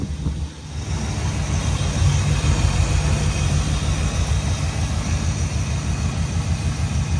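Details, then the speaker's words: Dodge Dart V8 after long storage, ignition module rewiring corrected and all 8 cylinders firing: deep even idle rumble, steady on all cylinders, no misfire or knock; healthy idle, though the transmission is stuck in gear. "This is genuinely the first time it's ran since Dan the Tow King dropped it off to be stored for a little while. Listen to this. Why doesn't it just do this all the time?"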